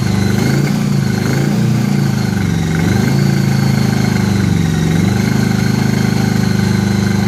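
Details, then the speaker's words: 1983 Honda Gold Wing flat-four on the lift after new head gaskets, first run with no coolant. Lumpy, uneven idle that hunts and stumbles with a hollow beat, firing on only a couple of cylinders; previous owner had already replaced coils and wires chasing it: misfire. "so it's only hitting on like a couple cylinders it seems like they were chasing that issue before I got it"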